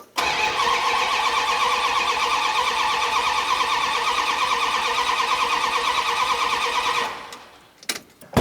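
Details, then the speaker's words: 1972 Dodge Dart Swinger with a newly installed engine, first start attempt: even cranking about three beats a second for seven seconds with no cylinder catching; distributor reinstalled by guess, timing possibly way off, so no start. "The distributor could be way off as far as where the timing needs to be cuz I just set it back in there pretty close to what I thought was right."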